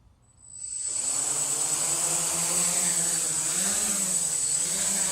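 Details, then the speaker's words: PX4 drone hovering during manual PID tuning in QGroundControl, with the gain raised to 3: a steady high buzz with the motor tone twitching quickly up and down; motor oscillation from excessive PID gain. "so i don't know if you can hear this but the motors the motors so we got a little oscillation building up and the motors are starting to twitch which as you can hear you can hear um you can hear the motors kind of pitching up and down real quick"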